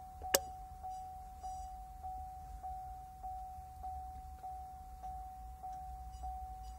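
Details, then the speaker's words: Chevrolet Camaro with electric supercharger, car in accessory mode powering the BLDC motor controller: clear single-pitch beep from the supercharger repeating about every 0.6 s over a quiet hum, with a panel light; normal controller boot-up sequence. "then i have to turn the car to accessory mode you can hear the beeping coming from the uh from the supercharger and this this light illuminates"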